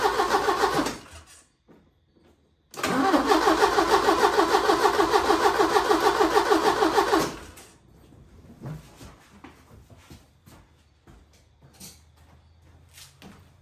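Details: 1980 Porsche 924 Turbo, unstarted for an estimated 2–3 years, new fuel filter, starting fluid sprayed in, jump box possibly weak: even cranking at about three turns a second for several seconds, never catches; cranks but won't start.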